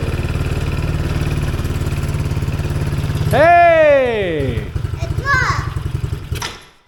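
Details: Tao Tao Chinese quad that wouldn't start, after the fix: single cylinder runs at an even, steady beat, revs up once, drops back, then shuts off cleanly; normal running.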